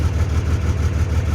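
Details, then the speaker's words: 2003 Dodge Ram 2500 common-rail Cummins diesel with crank-no-start, starting with the third injector capped off; lumpy idle with an uneven pulse about six times a second, running on five cylinders; suspect injector to be replaced. "previous to this it would just sit crank and crank i'd get nothing out of it so it's only running on five cylinders right now so it sounds like but it's running"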